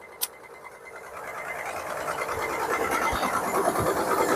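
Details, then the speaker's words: 2003 Land Rover Freelander 2-door, cold start with very thick, dark oil: fast, fairly even ticking, about three a second, over a rising engine note; owner suspects piston slap or other internal noise, no exhaust leaks. "sounds to be some piston slap or some sort of engine noise a cold start mind you the oil is unbelievably thick and dark and will be changed"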